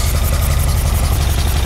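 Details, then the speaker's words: 1978 Ferrari 308GTB V8 with carburetors, after engine sorting, carbs fairly close but still needing dialing in: low steady idle, even pulse, no stumble or miss; all cylinders firing, normal idle. "Yes! Yes! It sounds like a Ferrari now, guys. Sounds very, very good."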